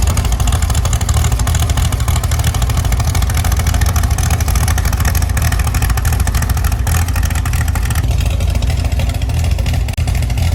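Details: Chevy SS restoration engine, not yet fitted in the body, final start after a splash of gasoline and ignition on: catches and settles into a strong, even low rumble, no knocking or misfire; healthy.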